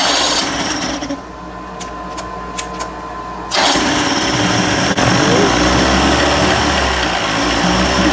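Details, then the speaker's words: 1990s 30 hp Evinrude outboard, cold start after carburetor rebuild, primed, throttle at high idle: catches after cranking and runs with an uneven, stumbling beat around three pops a second; missing while cold. "yeah she's cold and she's missing a bit"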